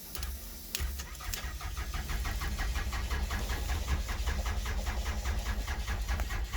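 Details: Toyota Camry 2001 build, ran fine until the dash was removed; wiring, grounds and fuses checked, fuel pump heard running. Starter cranks steadily at about two turns a second, but the engine never catches or speeds up: crank, no start.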